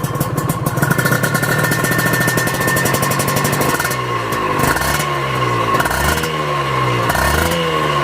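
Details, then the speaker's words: Honda NSR two-stroke, smooth at idle, revved hard: dry hissing rattle under exhaust note from worn crankshaft main bearing (needs replacement), heard when checking a used bike. "Coba kita geber ya dia bakal suara bunyi bearing lah bearing oblak gitu gimana ya"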